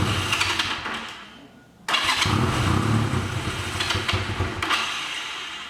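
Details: 1985 Honda Rebel with 2000 miles, first start after 17 years stored: on choke, after a short crank it catches and settles into an uneven but running choked idle, a sound start.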